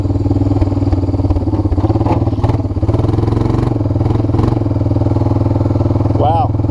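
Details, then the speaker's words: Water-damaged 1997 Honda Fourtrax 300 4x4 ATV, in first gear after warm-up: engine pulls steadily while harsh clunks and scraping bursts break through; rear differential intermittently locking up, engine itself sounds good. "end locked up oh god it's making very very very bad sounds did you guys hear that"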